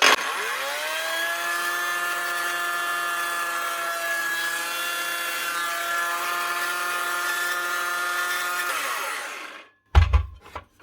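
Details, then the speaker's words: Dewalt DCS391 power tool: steady high motor whine with a rough edge, winding down after about nine seconds, with a burning smell; the brush holder is melted into the plastic and two brushes are worn. "You can see that brush holder there. Holder at the back is melted into the plastic. Brushes are worn, but only this one and this one."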